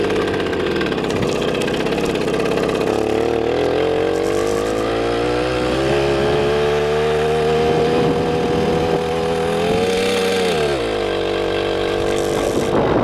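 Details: 1981 Riga-22 two-stroke moped, revived after 20 years unused, test ride after major engine overhaul, reaching about 41 km/h by GPS; busy buzz pulling smoothly through the revs, even firing, no knocks or rattles; normal running.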